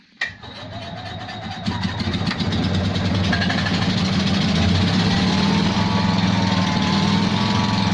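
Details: Invacar three-wheeler revived after 14 years in a field, on axle stands: it catches and settles into a lumpy chuffing tickover at three or four beats a second. A small exhaust blow makes it sound like one cylinder.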